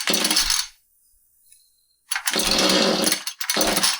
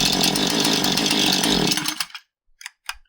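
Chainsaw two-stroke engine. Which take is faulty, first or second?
second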